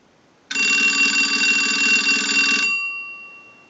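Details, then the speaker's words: Single-slot payphone during final checkout after repair and conversion, ringing in on an analyzer ring cycle, heard via an amplified pickup that may add static. A loud, even bell rings about two seconds and fades cleanly. Normal ringer operation. "Now that we know that this unit is ringing in on a ring cycle, we're dialing out."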